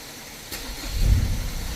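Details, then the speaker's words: Ford Ranger that started then stalled, with no engine light or codes: brief crank, then the diesel catches cleanly and settles to a steady low rumble. Starts and runs steady after PCM programming and reassembly; revs fine. "คันนี้นี่จบเรียบร้อยนะครับนี่เครื่องยนตเดินนิ่งนะเบิ้ลดูเออใช้ได้นะ"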